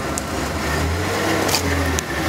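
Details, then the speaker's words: Circa 1994 Ford F-150, cold, after fuel filter change: idle rumble swelling and sagging in uneven pulses every second or so, rough only at idle; owner suspects debris in the fuel line, cause unconfirmed. "doing like this pulsating if you guys can hear it just being weird like that"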